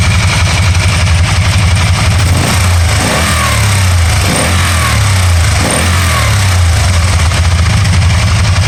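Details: 2012 Can-Am Spyder RT-L 990 after an intermittent misfire cleared by itself: the engine holds an even, steady idle and revs up cleanly with no stumble or popping; running smoothly.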